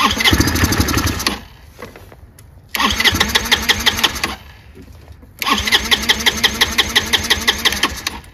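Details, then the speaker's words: Chinese GY6 150cc scooter with replacement carburetor, air cone fitted: three starter bursts with fast even cranking ticks, no catch, needs help to start though it should be automatic; hard starting, cause suspected, unconfirmed. "give it some help which is not right because you're not supposed to have to give it help it's supposed to be automatic"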